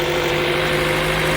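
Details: 1.8L Toyota Corolla after a new fuel pump assembly cured its crank-no-start, with fuel pressure at 50 psi: smooth, even idle with a steady hum and no misses, knocks or hunting; engine running cleanly.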